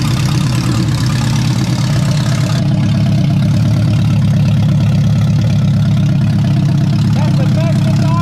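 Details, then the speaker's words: Freshly rebuilt engine in a turbo AWD wagon, primed and fired up, settles into a steady, even low idle with a consistent beat and no knocking or ticking; normal idle, everything good. "this thing fired up it ran we primed it all everything is good"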